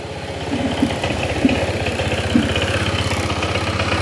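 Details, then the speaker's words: Honda PCX160 at idle before CVT cleaning and belt replacement, blamed on the crankshaft: steady idle with a light uneven rattle and sharper clicks from pulley play, loose belt and slider pieces, not the crankshaft, whose sound is higher-pitched. "Ito nga papansin yung tunog ng makina niya. Totally kapag once na wala kang experience sa PCX, talagang mapagbibintangan mo si Sigunyal. Pero iba ang tunog ng Sigunyal mga sir. Mas matining pa dyan."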